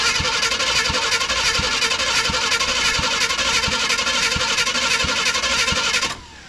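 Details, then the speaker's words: Abandoned Chevrolet C10 square body cranked by jumping the starter wire, first attempt: the starter spins evenly at about three compression pulses per second, each alike, no gallop, and the engine does not catch. "sounds pretty decent. It doesn't really have any gallop to it."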